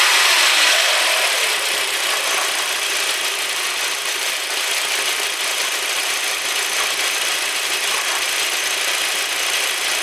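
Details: Audi A4 1.8T AEB petrol engine, 1998, 120,000 km with frequent oil changes, warm, just above idle (1000–2500 rpm): thin metallic squeak from under the valve cover over a hissy top-end clatter; cause unknown.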